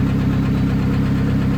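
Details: Scion tC that had not run for a month, after starter replacement, warm idle: heavy low rumble with dull knock tied to engine speed, vibration felt; cam timing also suspected; rod knock from failing connecting rod bearing.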